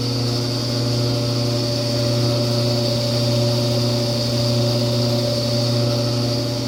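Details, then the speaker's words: Frigidaire-built Kenmore electric dryer on a heat cycle, top off, heating element only slightly red: steady low hum with faint buzz and high-pitched tone, swelling louder as it heats; quiet on air fluff. "but it's starting to hum really loudly and kind of make a high-pitched noise at the same time"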